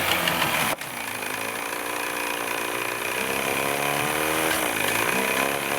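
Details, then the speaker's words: Vintage Evinrude/Johnson 35hp outboard running off bad gas, started with starter fluid: sharp drop-out, then unsteady low idle that wavers and sneezes at low rpm, like missing; cause not yet known. "Sneezes and dies, and that's the next thing I gotta figure out. Let me show you when it's down low RPMs."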